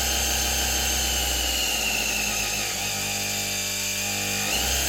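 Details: Soviet Czajka vacuum cleaner motor after new bearings, run without turbine, capacitors bypassed: high whine that wavers and shifts pitch instead of holding steady; uneven running, rotor likely needs replacing.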